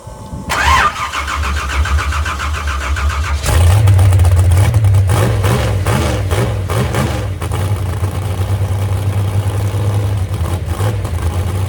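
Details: Moonshiner race car V8 restarted after about 7–10 months of rebuild following a crash, two crossed plug wires corrected: cranks and catches quickly, one blip, then strong steady even idle with no misfire; temperature gauge not working, possible radiator leak.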